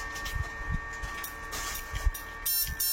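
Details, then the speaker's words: Fish shocker inverter (2-watt Minion) tested at frequency 0 with a 500 load, a part detached, so it runs quieter than with it attached. Faint thin steady whine under handling clunks: normal inverter tone. "Beda kan? Kalau kita pasang ya suaranya lumayan keras."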